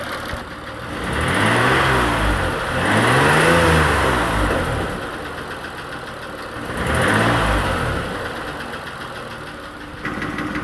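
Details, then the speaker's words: Engine with new hydraulic lifters and new connecting rod bearings, a few minutes after adding Lucas heavy-duty oil stabilizer, ticky on cold start; revs up and down with a faint ticking knock that persists, a mechanical fault the additive didn't fix. "I mean I guess maybe a little difference but it's not taken care of whatever the actual mechanical failure problem is"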